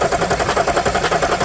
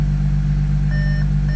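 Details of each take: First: 2014 Audi SQ5 3.0 turbo diesel, high mileage, crank no start, cranking with oil cap off: rapid rhythmic chuffing pulses about eight per second; compression blowing into crankcase. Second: 2014 Audi SQ5 3.0 TDI turbo diesel, very high kilometres, towed in with crank no-start, now repaired: first start steady even idle, no knocks or misses, dash chime pinging every second and a half; idling well.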